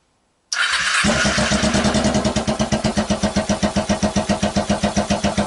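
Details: 2012 Kawasaki Ninja 250 twin, 42,000 miles, basket case test-fired on a stand with gas trickled into both carburetors; catches after a short crank, then uneven lumpy pulsing about four beats a second; owner unsure it runs on both cylinders.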